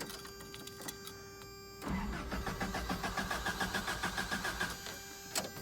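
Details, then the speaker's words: 1993 Toyota pickup 22RE cranks but won't start, strong fuel smell; steady rhythmic cranking at about three and a half pulses a second never catches, the spark plugs found fouled and gummed up with fuel. "so she cranks but she doesn't want to start i can smell fuel the problem is there's a lot of fuel"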